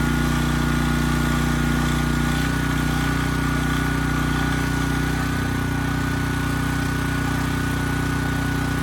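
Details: Briggs & Stratton Elite Series generator, model 030471-01, stored 5+ years, repaired from 35 V to 120 V output; steady, even drone holding constant speed under 3000 W load, no hunting or misses; normal running under load.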